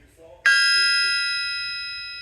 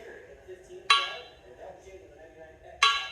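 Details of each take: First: Bryant big-block crankshaft struck on its side with a brass hammer: one sharp strike, then a clear, church-bell-like ring fading slowly over two seconds with no dull thud. A cracked crank would thud, so this one is sound and fit for a motor. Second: Crower crank from a bought used motor that flexed and gave false readings during balancing: five hammer taps about two seconds apart, each dying quickly as a dull clank instead of a ring. Probably cracked; a wet mag check is the proper test.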